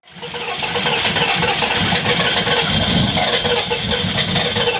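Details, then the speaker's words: 1993 Chevrolet K3500 6.5 turbo diesel dually, cold start at 20°F (-6°C) after new radiator, harmonic balancer and low coolant sensor: fires quickly into rough, clattery but steady idle with heavy smoke; healthy cold start. "so let's fire it up and see if it'll hold pressure plus I mean everybody loves a good cold start 20° F -6 Cel this should be a smoke show"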